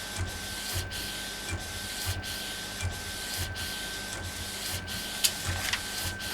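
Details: Epson Stylus Pro 4880 textile printer, first run after repair: steady carriage passes about every two-thirds of a second, even motor hum; normal printing.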